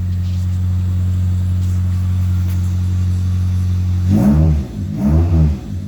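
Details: 2003 Pontiac Vibe GT 2ZZ-GE with PPE long-tube header, mid pipe and high-flow cat, no muffler yet (Borla XS pending): deep steady idle drone, then two hard rev blips with a loud raspy boom; open exhaust.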